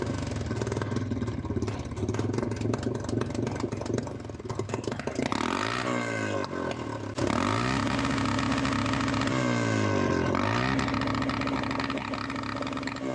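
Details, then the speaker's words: Honda TRX350 ATV after carburetor cleaning and refitting a forgotten part; engine revs in repeated bursts but sounds flat and falls back near the top instead of pulling cleanly, losing power at high RPM, cause unknown. "Oh, good. I don't know why it's losing power at high RPM."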